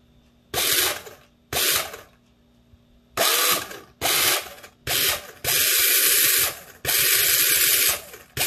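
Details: Airsoft Ver3 gearbox with helical gears during shimming, test cycling with motor: crisp even bursts of rapid clatter, no scraping or binding; gearbox cycling freely.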